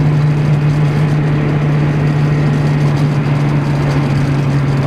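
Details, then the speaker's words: Renault Trafic with a swapped engine (C1J) cruising near 80 km/h: a steady low droning buzz under road noise, the vibration felt at the gear lever still present, cause not found. "en tout cas la vibration au bout de vitesse est toujours là on l'entend"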